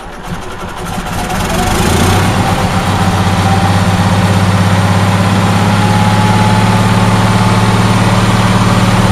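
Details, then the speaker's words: Onan twin-cylinder engine whose fuel-pump-side cylinder was not firing properly because of a loose spark plug losing compression; with the plug tightened it starts and climbs to a steady, smooth idle with an even beat on both cylinders, running properly. "so yeah it's it's running again it's now on the running side of the what runs report"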